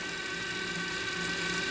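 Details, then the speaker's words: Sharp RT1155 cassette deck on the bench, whose take-up side won't pull tape in play: fast forward shows a steady high whir of spinning reels with even hum, no grinding or slipping; fast forward normal. "This isn't the issue, but fast forward's just fine,"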